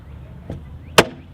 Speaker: listen for the snap when you're doing a top adjustment if you do not have a snap of firm tension behind latching those headers you may get movement you may get leaks